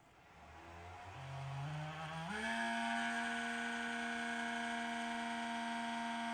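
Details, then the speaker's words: Mini heater bought in December 2021, after four winters of use: at switch-on the fan spins up over two seconds into a loud, steady buzzing whine it shouldn't make; worn fan bearing. "Not supposed to make that noise. Doesn't sound good."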